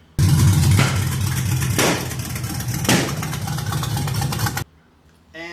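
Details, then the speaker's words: LS-swapped V8 in a 1966 F100 on a Crown Vic chassis, first real startup on the fixed computer: a lumpy idle that starts backfiring with a sharp bang roughly every second. A few sensors were not plugged in. "yeah, I'm sure the people in my neighborhood thought there was a shooting going on on my street cuz it was pow [Music] pow backfiring like that. Well, there's a few sensors that's not plugged in."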